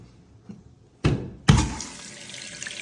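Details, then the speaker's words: Toilet tank after its leaking rubber flapper was replaced: water clunks on, then a steady rushing refill eases off with no hissing trickle afterward; no leak, refilling normally. "Como pueden ver, ya está instalado, no hay fuga de agua, ni tampoco tiene el sonido como si estuviera tirando el agua."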